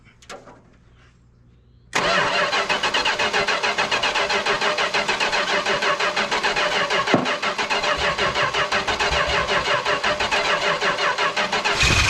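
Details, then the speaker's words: 1974 Chrysler New Yorker 440 big-block V8, revived after sitting, first start on fuel poured into float bowl and sprayed while cranking; catches after two seconds and runs strong and even, no knocks, though carburetor is poor. "Woo! kinds of stuff. Although that thing sounds strong. That carburetor sucks."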